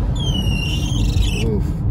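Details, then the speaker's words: While driving through Detroit on a 60-degree day, a thin high squeal holds over a second above road rumble; the door window glass squeaking in its run. "squeaky was my window you won't hear it anymore"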